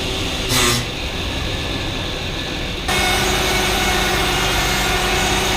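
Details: High-mileage Lexus GX470 2UZ-FE V8, first start after timing belt, water pump and valve adjustment, coolant topped up for self-bleeding: short crank, catches, settles into steady smooth run, no tapping or squeal; healthy start.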